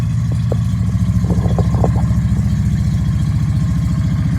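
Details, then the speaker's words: Yamaha V Star 650 that sat a long time, with Sea Foam: fast, lumpy, stumbling firing at choked idle; suspected gummed carburetors that likely won't accept throttle, exhaust smelling of old fuel, running with Sea Foam to clear it. "now a lot of times when you have gummed up carburetors it will run on a choke but it probably will not accept any throttle"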